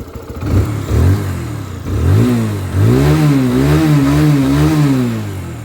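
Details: 2021 TVS Apache RTR 160 BS6 motorcycle, about 22,922 km, revving: clean throttle blips rise and fall smoothly with an even exhaust note, no ticking or chain rattle; engine healthy.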